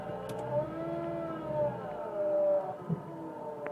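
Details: 1999 Mitsubishi Pajero iO: wavering whine drifting in pitch over running engine, present from start, worse when warm and with driving; alternator bearings, A/C compressor or water pump suspected by different mechanics; undiagnosed.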